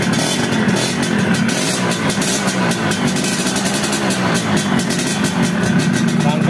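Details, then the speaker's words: Yamaha F1ZR two-stroke after fitting a replacement cylinder head to fix porous, leaking spark plug seat; quick, even popping holding steady idle without stumbling, compression restored. "Oke teman-teman ini sudah kita pasang dan kita coba hidupan dan alhamdulillah bisa langsam bisa stasioner engak gorang seperti tadi"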